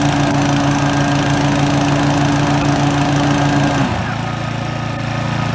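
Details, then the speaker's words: Brand-new Toro TimeMaster electric-start mower, model 21200, first start: smooth, even idle hum, then the pitch dips and settles lower when the blades engage, with a delay on first engagement. Healthy mower. "this is me starting the mower for the first time just want to hear how it sounds when it idles and then I'm going to let you hear how it sounds when you engage the blades"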